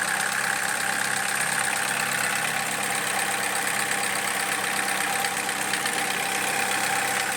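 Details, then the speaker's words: 2007 Opel Corsa D 1.4 Z14XEP with LPG equipment, warmed to about 90 °C, idling with a light, uneven ticking about three times a second; engine cuts ignition, reportedly sparking to chassis; misfire from an arcing ignition coil. "Я чую, що двигун перериває запалювання. Як вони казали, воно ніби іскрювало, а текло до шасі."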